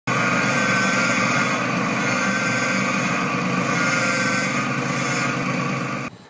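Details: 2011 Nissan Altima at idle with a constant whining tone from a power steering pump low on fluid, with rough steering; fix is adding power steering fluid.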